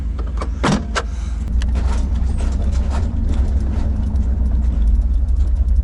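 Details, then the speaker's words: 1990 GMC truck with a swapped 350 small-block Chevy V8 (nearly 250,000 miles), Thrush muffler and Cummins exhaust tip, near operating temperature: after light clicks it settles into a deep, steady, even idle with no knocks or misses; normal warm idle. "that makes me so happy to hear that sound I just love Chevy sounds dude"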